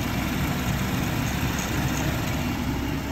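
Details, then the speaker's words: 2017 Ford F150 at 128,000 miles after replacing VCT cam phasers, timing chains and tensioners: even, steady low idle with no ticking or knocking; the passenger intake phaser had not been locking, letting the cam slap. "Oh, so quiet. Listen to how quiet this motor"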